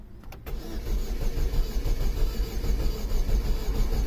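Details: 2005 Saturn Ion 2.2L, 5-speed, after a clutch replacement elsewhere, timing chain said to have jumped: starter cranks steadily at about ninety beats a minute but never catches; scope suggests two cylinders have an issue, crank no start.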